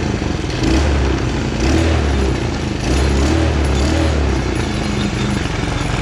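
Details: Small 125cc Chinese kids' ATV that starts slowly; carb mixture screw set to four turns out; small single surges and sags in uneven low bursts instead of a steady idle. Rough running from a worn spark plug.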